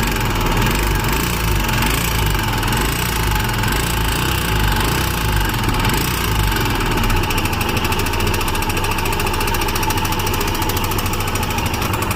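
Single thumps along at idle with a light metallic tapping riding over each beat; abnormal engine noise, source not yet pinned down.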